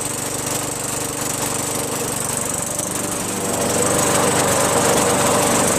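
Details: Craftsman 21in push mower with a 5.5HP Tecumseh engine that previously started only when primed, then stalled. After a quick carb bowl cleaning with carb cleaner, fuel flows and it runs steady at an even pace, no surging or stalling. Normal running.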